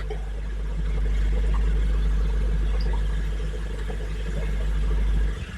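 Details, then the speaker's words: Hygger HG981 10W adjustable air pump on an axolotl tank with airstone and sponge filter, turned down from full: low steady hum, no rattle or buzz, soft even drone cutting out cleanly; quiet and normal. "So, yeah, you can hardly hear it. There's the bubbles."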